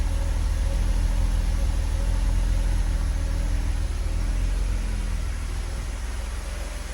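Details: Mercedes-Benz W124 with 3.0 M103 engine on a Megasquirt MS3x EFI conversion at fast idle: deep drone with a faint occasional stumble and slight shudder. Intermittent misfire persists despite new injectors, coils, wiring, grounds, timing-light-checked timing and VR sensor gap; seems fine under load.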